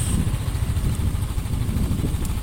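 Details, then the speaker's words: Honda Scoopy after engine service: even, low single-cylinder pulsing with steady firing and no knocks or rattles. Normal running. "Kalau trek lurus, suara halus,"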